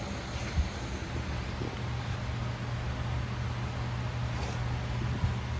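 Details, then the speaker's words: Corghi ET1450 truck/passenger wheel balancer spinning a truck wheel during calibration after the sensitivity check, with left then right button held until the beep: steady low hum at even speed, no rubbing or grinding, normal spin. "You're going to hold the button on the left, and then you're going to push and hold the button on the right, and it's going to start spinning, and you're not going to release this until you hear the beep."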